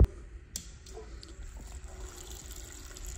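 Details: Harbor Freight battery-operated liquid transfer pump (rated safe for gasoline) in a runtime test moving about two gallons per minute: steady low motor hum with liquid flowing smoothly, no sputter or gulping, so the pump is drawing properly.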